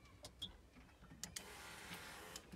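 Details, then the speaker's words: Boat engine (GT-40) after resoldering a broken capacitor wire on the engine computer, which caused intermittent surging: a few sharp key clicks, then a steady, even electric whir as the fuel pumps prime normally. "pumps do prime and it will start guaranteed"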